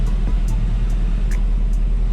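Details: Seat Leon FR 2.0 TFSI at idle with deep, uneven running and a recurring stumble: misfire that moved from cylinder 2 to cylinder 3 when injectors were swapped, confirming a faulty injector; coil and all plugs already replaced.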